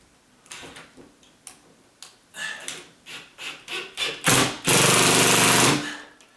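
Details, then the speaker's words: Ratcheted drill driving a screw into a pre-drilled hole in a 25-year-old TGI joist to secure a ceiling-fan pancake box: rapid regular clicks, about four a second, building into a steady buzz under load. This is normal ratchet clicking. "This is one of those ratcheted drills, and so it's supposed to make that noise."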